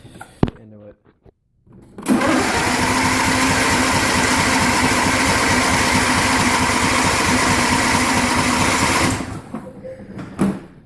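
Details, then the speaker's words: John Deere LA150 lawn tractor, nearly 300 hours, after running out of gas: steady rapid starter churning about seven seconds without catching while gas works through the lines; extended cranking, fuel not reaching carburetor. "just need to get gas through the lines cuz I ran out of gas before"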